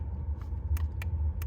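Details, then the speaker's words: MK6 Jetta TDI with horn not sounding, 10 A fuse checked: a few light, crisp clicks over a low rumble show the horn relay is getting power and closing normally. "So that tells you your horn relay is getting power, it's closing."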